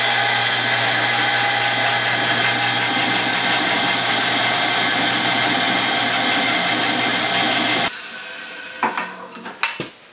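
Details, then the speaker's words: 110-year-old Crescent bandsaw with new motor and belt drive, belt tensioned by the motor's own weight: even, steady whir for about eight seconds then clean spin-down; belt drive runs smooth and quiet. "I'm just using the weight of the motor detention to belt seems like it works"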